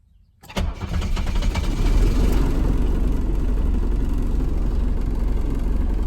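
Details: 1981 Mercedes W123 300CD diesel, 158,000 original miles, unstarted 4+ years, new battery and primed fuel pump: short crank then catches immediately into steady even diesel idle clatter; starts cleanly.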